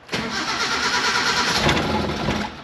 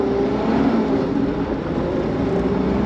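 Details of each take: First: Mini truck that has been sitting, runs rich and rough, spark plugs suspected: the starter churns steadily for a couple of seconds but the engine never catches. The battery is fading and needs charging or replacing. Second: Mini-truck, still governed, accelerating in second gear: it pulls cleanly with revs rising smoothly and no bog, stumble or misfire, though it bogs on clutch takeoff unless revved. Normal acceleration.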